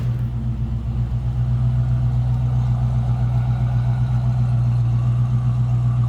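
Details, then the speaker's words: 1967 Ford Mustang coupe with a 302 V8, automatic and Sniper EFI: smooth, even idle burble with a steady deep pulse and no ticks, knocks or stumbles. Healthy idle with good throttle response. "Good sounding car. Idles nicely and very good throttle response."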